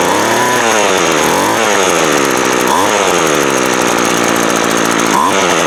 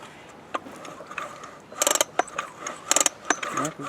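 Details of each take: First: Craftsman 24cc 17" two-stroke trimmer that had broken fuel lines and a broken primer ball, run after the cylinder was cleared and the plug checked. It buzzes steadily and revs cleanly with throttle, no stumbles: normal running. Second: Craftsman 24cc 17-inch two-stroke weed eater, acquired with broken fuel lines and primer ball. Three quick pull-cord rattles with clicking starter, no firing pops; engine turns over but won't start.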